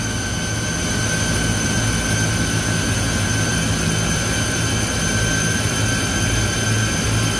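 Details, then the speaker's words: Walk-in cooler compressor after contactor replacement, high-pressure control bypassed: loud, strained, rough droning hum with whining tones. It has proper voltage but warm discharge, lukewarm suction and high box temp show internal bypass; bad compressor. "like an internal bypass on the compressor right now so the compressor has the proper voltage but it's making a god-awful sound"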